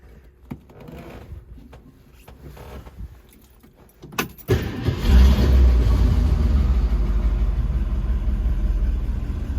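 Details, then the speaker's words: 1966 Ford Mustang convertible cold start with only one accelerator pump stroke: starter cranks, engine catches into a loud, lumpy run but won't keep going; insufficient accelerator pump priming. Two pumps later fire it right up. "So one pump didn't do it."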